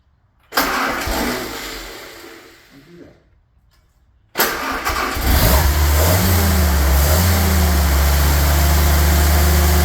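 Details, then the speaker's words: Rebuilt '48 Willys spare engine, started with choke set a little after a short earlier warm-up run; brief crank, a catch, then a second start settling into a steady, even low idle, 30 psi oil pressure, no bad noises; normal idle. "So the spare engine off. And not making any bad noises."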